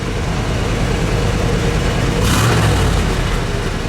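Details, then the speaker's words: 1965 Buick Wildcat Deluxe Convertible, 401 CI V8 with 4-speed manual, looking showroom new, running at a car show: deep, steady V8 rumble swells with a quick throttle blip and settles back smoothly, quiet and powerful; normal engine revving. "One more. Ooh. Quiet and powerful."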